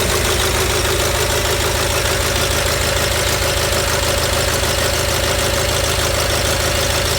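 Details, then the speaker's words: Gravely 817 with Onan CCKA twin after starter repair: even, steady twin-cylinder idle with no clash or grinding, the starter gear retracted well away from the flywheel; normal running. "Yeah, we should be good. I didn't hear it hit once, and I could see while it was running that the gear was retracted very far away from the flywheel, so I think we're in good shape."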